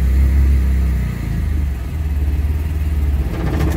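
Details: 1995 Eclipse with a newly installed clutch: it shifts and the engine revs strongly, then settles into a steady throb, but the car won't move in gear and just jerks. All tires turn freely; owner suspects the master cylinder.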